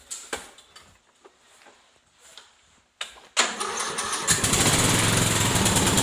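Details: Craftsman LT1000 lawn tractor with snow plow, cold start at about minus 13 °C, premium fuel: clicks, then the engine catches quickly and settles into a steady, even run with no misses.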